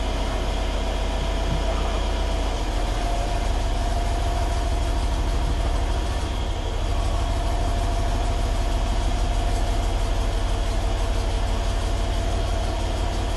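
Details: Stock 2012 Mercedes E550 4matic with the M278 twin-turbo V8, cold start after 5 hours parked: a deep steady idle with a light fluttering rattle in the exhaust, the wastegate flap chattering due to a faulty linkage.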